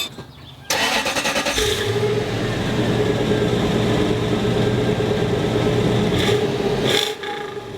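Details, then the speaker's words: 1999 Toyota Land Cruiser 100 series (LX470/UZJ100) after replacing an exhaust whose muffler was holed off-road and leaking. It cranks, catches and settles into a smooth, deep, even idle with no leak puffing. Normal exhaust note after repair. "we are all done sauce sounds amazing I'm really happy with it"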